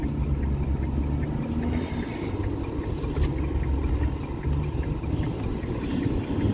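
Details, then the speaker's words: 2012 Ford F-350 6.7 Powerstroke diesel, 388,000 miles, test drive after new injectors, CP4 pump and disaster prevention kit: low steady idle rumble at a stoplight with cab noise, even beat, no knock or miss; healthy. "Seems pretty healthy for 300,000 miles."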